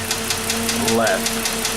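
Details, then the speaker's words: 2006 Dodge Magnum SE, 2.7 V6 at idle: fast, light metallic ticking about five per second from the back of the engine behind the throttle body. A noisy hydraulic lifter (lash adjuster) is suspected, before repair. "it's got a lifter tick we're gonna fix that today all right I want to fire it up let you guys hear the tick"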